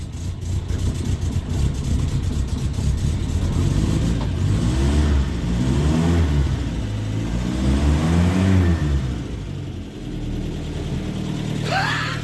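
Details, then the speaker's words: Land Rover Series III 109 van, cold start on choke on a cold day, first start in over two years after a carburettor overhaul: engine catches and keeps running, revs swelling and settling to an even low beat; healthy cold start. "It's fucking extraordinary. It is cold though."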